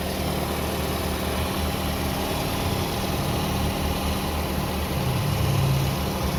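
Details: Toyota Vios after troubleshooting a crank-but-no-start fault: smooth, steady low idle with an even hum and no stumbles or knocks; the engine now runs normally.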